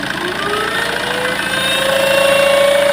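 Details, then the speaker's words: Tata Safari Storme, turbo actuator worked by vacuum, then lifted by hand: thin whistle climbing in pitch over the engine as boost comes in; turbine likely has internal play, turbo possibly opened before. Turbocharger whine from worn turbo core. "य इसका मतलब इसका जो turbo है उसी में है इसकी मेरे को लगता है इसकी जो ये टरबाइन है ये काम नहीं कर रही है काम कर रही है लेकिन ये अंदर से प्ले पड़ गई होगी है ना"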